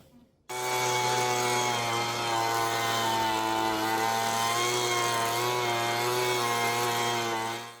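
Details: Homelite Mighty Lite two-stroke leaf blower being repaired for a no-start complaint: a steady, even, high-pitched buzz holding one speed without surging or misfiring. The blower is running cleanly.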